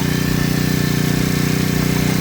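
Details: Freshly assembled Honda GX35 four-stroke gasoline grass cutter, test after one-click start: quick, even putter at a steady level, no misses or knocks; healthy engine.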